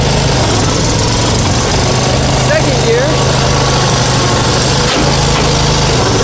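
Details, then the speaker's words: Farmall 140 industrial tractor, revived after 10+ years sitting, driven after a clutch repair: a rough, uneven low beat under a steady drone; plug wires 2 and 3 swapped on the distributor cap, firing out of time. "I feel like such an idiot I think I was running this Engine with one of the spark plug wires firing completely at the wrong time"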